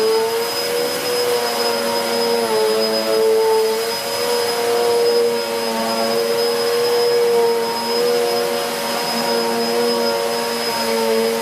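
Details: 2013 Hoover Whirlwind Pet WHS2102 001 2100W bagless upright on carpet, belt refitted: loud steady motor whine with the aggressive brush roll busily sweeping, pitch dipping slightly under load. Healthy, working hard, normal running.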